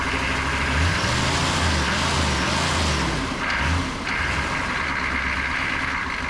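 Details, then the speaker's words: 1988 Chevy C2500 with a 6.2 diesel and Banks turbo, over 400,000 miles, started with a gas-soaked rag in the air filter after sitting; rough, loud diesel clatter settling into a steady run with some hiss, keeps running. "running heck yeah look at that oh man I really thought I was going to have to buy a starter"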